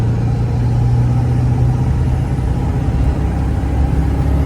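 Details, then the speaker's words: Ford 7.3 Powerstroke diesel truck after KC 300X Gen 3 stage 1 turbo, Riffraff up pipes, deleted pedestal and boost fooler, pulling uphill: deep steady drone pulling hard, even, no up-pipe ticking; normal running under load. "This thing just pulls like wow. It like that was that wasn't even to the floor. That was just getting into it."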